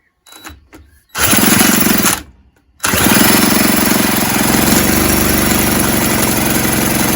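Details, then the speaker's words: 1970s Puch Maxi E50 50cc two-stroke moped engine on the bench, spun by a drill after carb spray: fast, even rattle about four turns a second, never catching; no-start, cranking without firing. "i thought it was gonna go that time but yeah these things don't always go to plan i've had problems with this engine trying to start as you've seen a couple of times"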